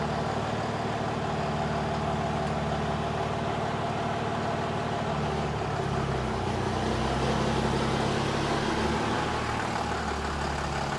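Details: Dodge Ram one-ton pickup after front differential pinion bearing and seal replacement, driven about 30 mph in four-wheel drive: steady engine drone with no growl or howl from the front axle.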